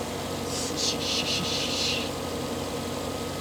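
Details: Cadillac Escalade after fitting new belts and tensioner for a rain-related belt squeak: idle with short, uneven high chirping bursts at startup; source unclear, suspected idler or possibly power steering pump.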